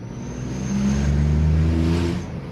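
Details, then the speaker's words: VW Polo with air filter fitted the day before: petrol engine blipped up and back down, induction noise plus faint thin high whistle over the exhaust note. "There's kind of like, you can hear my air filter, which I installed yesterday, and then you can just hear a slight whistle."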